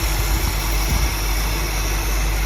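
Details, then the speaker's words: 1957 Buick Roadmaster 75 two-door hardtop nailhead V8 at idle after first startup and cam break-in, air cleaner off; deep even burble, earlier slight driver-side miss now smoothed out, no shake, no exhaust leaks. "Idle sounds good. I was getting I think a little bit of a miss on the driver's side before, but I think we're in good shape now. Everything kind of smoothed out. There's no shake."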